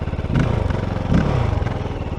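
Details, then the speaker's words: Kove 450 Rally Euro 5 single at idle, already hot, 200 km, in break-in: low thump swelling and sagging every half second, idle not too stable, clunking noises when clutch let out; cause unknown. "And you can hear the idle is not too stable. And when I let the clutch out, there's a lot of cloning noises."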